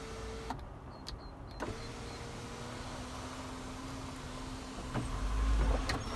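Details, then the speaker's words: Land Rover Discovery 4 sunroof operating: steady even motor hum about three seconds, stopping cleanly with no grinding or straining; sunroof works and tilts up, healthy drive. "That all works. It tilts up as well."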